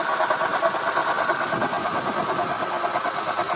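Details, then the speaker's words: Acura TL at idle before repair: a steady mid-pitched whirring hum over the engine from the power steering pump; owner suspects shaft play, though the car drives fine. Worn pump, replaced. "It does have a bit of noise coming from it, and I'm pretty sure once I get the belt off I'll be able to wiggle it back and forth. It should have some play in it."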